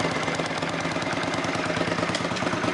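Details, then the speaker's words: Honda CX500 at idle, engine not run in years, after a timing cam swap to fix no spark: a sharp, even puffing tick about 7–8 times a second over a steady idle from leaking exhaust gaskets. The temperature gauge is dead and the water pump is leaking. "So, I got it sitting here idling. Other than the exhaust gaskets leaking, one thing I noticed that the temperature gauge isn't working."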